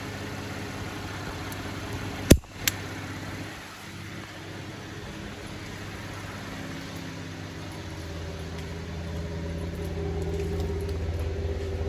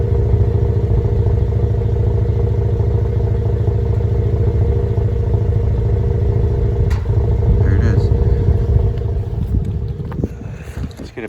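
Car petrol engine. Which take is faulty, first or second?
second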